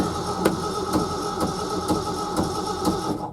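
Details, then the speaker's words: Early-1970s Ford F-350 that sat about 7 years, in neutral with the clutch in and fuel dumped down the carburetor: slow, even cranking, about one stroke per half second, with no firing. Cranks but no start. "No, I ain't getting nothing off that gas."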